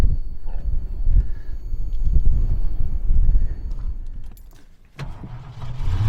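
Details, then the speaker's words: 1976 Mercury V8 freshly started after ignition timing set with timing light: lumpy, unsteady idle surging and sagging; owner suspects leaking carburetor base gasket sounding like an exhaust leak, ignition confirmed fine. "this engine runs like and it sounds like it is an exhaust leak on it and it feels like it's coming from there so it looks like I got a carburetor base gasket is leaking"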